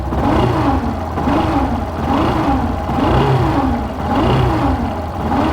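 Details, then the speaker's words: 2017 Yamaha Fazer 150, engine started and revved: a turbine-like whine that rises and falls with revs, resembling a failed bearing or clutch noise but caused by a burnt stator coil. "logo de início você já escuta um barulho recadinho diferente só acelerar que você ouvir Olha só galera todo mundo barulho feio parece até uma turbina"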